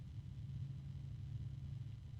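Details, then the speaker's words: 1,350 RPM PC case fan at its maximum speed on a fan controller, sitting on a desk: steady low hum and whooshing air with harmonic resonance, noisier than expected for its rating. "not uh H honestly for a 1350 RPM fan it's a little bit noisier than I would anticipate it being"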